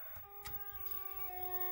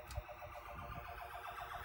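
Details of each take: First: Williams Stargate arcade sound board in test mode on a bench setup: plain electronic tones stepping pitch every half second instead of game sounds; fault was a bad 6810 RAM chip, later socketed and swapped. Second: Williams Stargate pinball sound board on a bench test setup after swapping a faulty 6810 RAM chip for a known good one: test mode now plays real game sounds and a short tune, no static; working normally.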